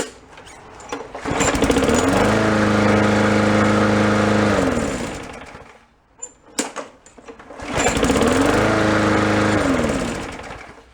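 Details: Neighbor's push mower that wouldn't start, after troubleshooting and repair: started without primer, pulls and catches at once, settles into a smooth even run, stops, then restarts just as cleanly; runs healthy.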